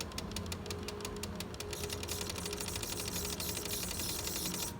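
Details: PlayStation 5 disc drive trying to eject a disc right after installing a game: fast even train of sharp mechanical clicks repeating without releasing the disc; hardware or software fault uncertain.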